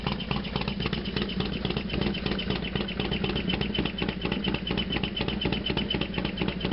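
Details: Harley FXDX completely cold start, not run since yesterday: V-twin idle with loud loping clatter about twice a second over the exhaust beat; loud noise at cold idle, cause unclear.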